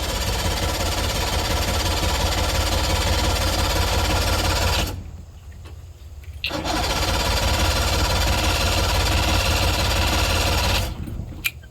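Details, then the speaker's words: Carbureted party barge boat engine, now gravity-fed with the fuel filter full: steady rapid cranking chug of about three beats a second never catches, pauses, then cranks again. Crank no-start; owner suspects a sensor or bad gas, unconfirmed. "All right, guys, so now we get into our basic troubleshooting. It's not starting. We don't know why. Could be a sensor, could be bad gas."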